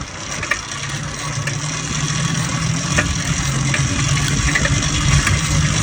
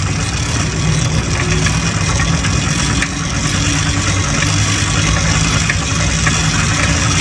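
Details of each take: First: Neglected used motorized bike/moped cranked after swapping the CDI for a smaller-engine unit; rough, uneven cranking chatter about three beats a second that never catches, with the carburetor suspected next. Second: Restored motorized bike/moped two-stroke after clutch rebuild, new spark plug and carburetor work; steady even idle buzz with a light rattle over it, running cleanly, normal.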